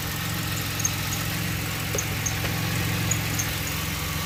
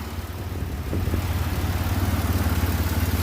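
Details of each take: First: 2006 Pontiac Grand Prix 3.8L V6 idling after a coolant top-up with heater on and bleeder open: loping unsteady idle with faint irregular ticks, shaking quite a bit; owner suspects a blown head gasket because of a lot of coolant bubbles. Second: 2006 Grand Prix 3.8L V6 at idle after head gasket replacement: low, even pulsing about 214 beats a minute, steady with no misfire or rocking. It rocked and seemed to misfire before; the old gasket was possibly blown.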